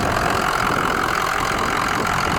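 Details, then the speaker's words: 6.0 diesel work truck, standpipes replaced October 2020: a smooth, even diesel clatter at a steady idle with no misses or knocks; it still runs perfectly and sounds healthy. "sounds and it's still running perfect after changing the standpipes in it"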